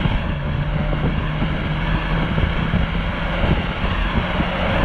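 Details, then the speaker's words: Corsa B GLS 1.4Si four-cylinder petrol on road test after coil pack swap fixed a three-cylinder misfire; even drone through heavy road and wind noise, no stumbling, all four cylinders firing. "well the cars is running really well since we swapped the coil pack over back on four cylinders"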